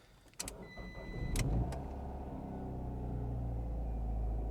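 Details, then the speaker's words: Fiat 500c at an IAA auction walkaround: a few clicks and chimes, then a brief crank and the engine catches cleanly and settles into a smooth, even, low idle; it runs well. Normal start and idle. "oh she runs good she does run well wow"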